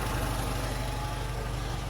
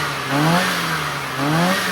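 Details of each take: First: Austin/MG Metro four-cylinder idling as it came after ignition timing set to about 30° full advance; a bit lumpy with soft burbling exhaust beat, carburettor mixture way too rich and needs leaning out. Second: Metro engine after tuning work, including a replaced distributor base, vacuum unit and new plug leads: two clean throttle blips that rise and fall without hesitation, then an even idle. It now runs smoothly with good power.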